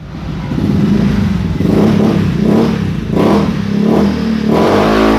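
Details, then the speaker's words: Honda Beat new fuel-injected scooter after idle adjustment; it climbs cleanly through repeated blips and settles to a steady idle. Crisp response, no longer sluggish, normal revving. "oke kawan-kawan motornya sudah enak sudah Enak pokoknya ini motornya sudah nggak lemot lagi stasionernya sudah bagus"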